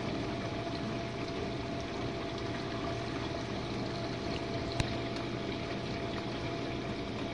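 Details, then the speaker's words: Jenn-Air dishwasher on Quick Wash cycle with no heat dry, one Cascade pod, main wash after detergent dispenser opens; earlier had low recirculation noises from suds. Steady low hum, water swishing and spraying evenly, no grinding or rattle. Normal wash pump. "And this is the main wash, guys. Alright, let's go take a look."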